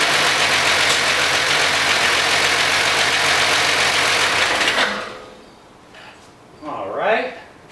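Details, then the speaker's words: 1990 Jeep Cherokee XJ started after a no-fuel, no-start fix: hard, fast clatter from the top end with no oil pressure on the gauge, so the engine was shut down; sounds oil-starved, and the owner plans to add oil to the top end. "right didn't see any oil pressure on the gauge and it sounded like a lot of Racket up in the in the top end so I shut it down"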